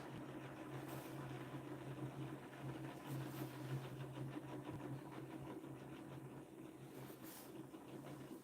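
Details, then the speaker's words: DIY pulse motor rotor riding down on its bearing at up to 3,500 rpm: steady low hum with a chattering buzz-saw noise but no shaking. The noise comes from riding on the bearing and goes quiet when the rotor is magnetically lifted. "It'll go up to 3,500 RPMs and it won't shake. But it'll make a lot of noise."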